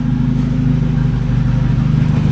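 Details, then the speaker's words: 1980s Volvo turbo car with a stock engine, hot, on an open exhaust: a deep, loud, even rumble with a steady low pulse and no knocks or misses. It sounds much better than before, and the turbo is audible. "okay oh yeah that sounds way better"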